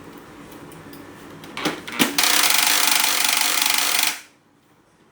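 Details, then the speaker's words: Canon MF3010 laser printer at power-on warm-up: two sharp clicks, then loud harsh rattling grind for two seconds; cause unknown, drive gear set for paper pickup/fuser to be inspected. "เครื่องขึ้นมาเครื่องวอร์มมีเสียงดังเลยนะครับ"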